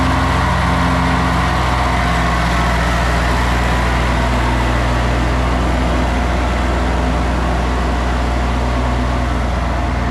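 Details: 40-year-old Kubota F2000 front-mount mower, three-cylinder diesel, after restoration (fluids, filters, blades replaced): even, steady diesel clatter at idle with no misses or knocks. Normal diesel idle.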